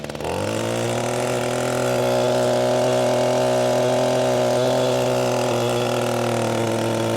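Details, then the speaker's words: Echo SRM-225 two-stroke trimmer after cleaning carbon from the exhaust port and refitting the exhaust, fixing low power: revs quickly, steady clean high-pitched full-throttle drone; normal full-throttle running. "it might be a little harder for y'all to tell the difference but there is quite a big difference to"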